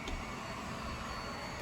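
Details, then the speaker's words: ILIFE Shinebot W400s mopping robot on hardwood floor after about 25 minutes, no longer putting down water: steady rough whirring drone with thin high whistle, squeegee audible, louder than it should be; loud running noise. "all right guys this has been gone about 25 minutes this robot is an absolute piece of garbage listen to it"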